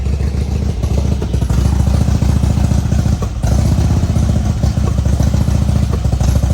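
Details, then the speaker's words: 2002 Harley-Davidson Road King Screaming Eagle (FLHRSEI) with misfire and engine light: loud, lumpy, stumbling V-twin idle with backfiring; revs rise when carb cleaner is sprayed at rear intake, showing a vacuum leak at the intake seals. "I'm going to spray some carb cleaner back here by the air intakes. Hear it rev up? Sucking air. So, it's sucking air in the back."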